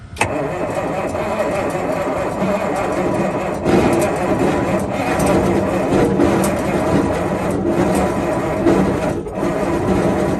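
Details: 1971 Peterbilt 352 diesel, long unrun, on jump pack with new fuel line, filter and ether: ten seconds of laboring cranking that almost catches but never fires.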